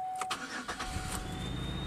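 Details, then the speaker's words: Pontiac Aztek with a suspected electrical short near the battery, engine running with the belt removed so only the balancer turns: a thin, steady high squeal holds through idle, not from the belt. The screaming noise's source is unclear. "so we still have a noise without the belt charging"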